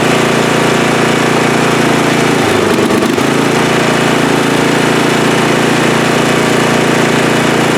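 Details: Free riding mower, tank previously drained, running after flood-prone start attempts with fuel clamped off to stop flooding: loud, steady single-cylinder beat at an even pace with no misses or surging; engine runs cleanly.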